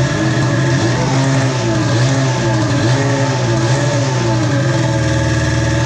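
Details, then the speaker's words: Polaris Pro X2 700 two-stroke after many start attempts: uneven, wavering, stumbling revs with no knock; owner suspects bad old fuel; rough running. "well it sounds like it's got some gnarly fuel in it"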